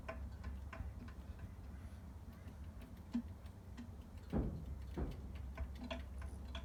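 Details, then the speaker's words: Scott Bonnar Model 45 cylinder mower, after adjusting both sides: soft light ticking about 1.5 times a second as the reel turns, making minimal contact with the bedknife; correctly set. "okay so now I've adjusted both swords and I can hear that uh The Reel is making minimal contact on both hopefully evenly across the whole dead knife"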